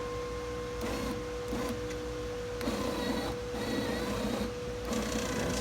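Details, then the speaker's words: 1990 Jeep Wagoneer/Cherokee with new window regulator and new-design motor, silicone-sprayed, before window reattachment: steady mid-pitched hum with soft whirr rising and falling, no grinding or binding; moves smoother, motor lacks its original padding. "Yeah, it moves a lot smoother. Hear that noise though? I like that."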